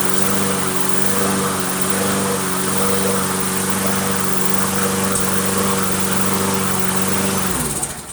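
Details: Briggs & Stratton Quantum Craftsman mower after storage with old fuel, started on starting fluid with air cleaner off after initial surging: steady, even buzz at constant speed with no hunting until shutdown; runs properly.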